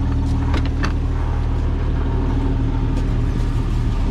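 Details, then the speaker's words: 1998 Jeep Wrangler TJ after full AC system reinstall, leaks fixed and recharged: engine idling steadily with a constant low hum, no squeal, rattle or cycling clunk; AC blowing 45° at the vents, blower motor repaired and working; normal AC operation at idle. "It's at idle. It has cooled down in here quite a bit. The AC is working fine. The blower motor's working fine."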